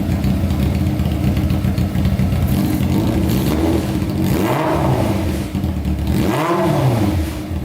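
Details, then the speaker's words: Honda CBR600 four-cylinder engine in a custom go-kart, idling while waiting for the fan: smooth idle with two clean blips that rise sharply and fall back crisply, described as amazing and puffy. Revs freely and sounds healthy. "um that is insane that is sounding amazing pretty puffy"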